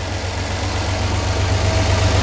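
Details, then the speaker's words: 1999 Dodge van after a spark plug tune-up, first cold start of the day, previously had a miss: even steady idle that firms up as it settles, no stumble or miss, firing on all cylinders. "I'd say that thing sounds a whole lot better [Music] sounds like she's firing on all cylinders"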